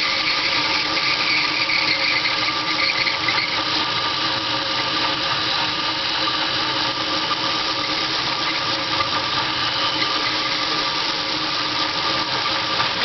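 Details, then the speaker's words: Dodge Daytona EV's NetGain WarP 9 electric motor, car on jack stands, wheels hanging, camera under car at the motor: steady high scratchy whirring growl with squeak, like rough bearings or metal rubbing; worse under load, squeak blamed on winter rust; cause unconfirmed. "all right so basically that growl growling noise it's just kind of hard to tell it actually sounds much worse when the car is driving and it's under load"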